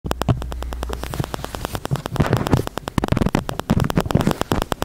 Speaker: here's a quick fix if you have an external microphone and it makes clicking noises this is what I found out after I disassembled my microphone to find out only that it was a setting in the camera is that the Wi-Fi was turned on and the clicking noise that you heard was the camera trying to communicate with the bass or